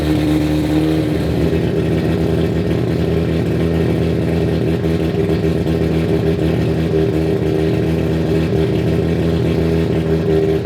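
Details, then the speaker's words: 1993 Mazda RX7 with freshly built and ported 13B rotary, first start after sitting 10 years: steady, buzzy idle with an even beat, no misfire or hunting; runs properly, though leaks were found underneath. "so I'm pretty excited that it runs"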